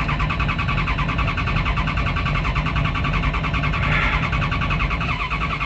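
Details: 1991 Dodge Ram B250 van, 318 engine, with the ECU refitted after its three electrolytic capacitors were changed; in neutral, fuel pump heard. The starter turns the engine over steadily but it never fires, so it still cranks with no start. Owner suspects the ECU board.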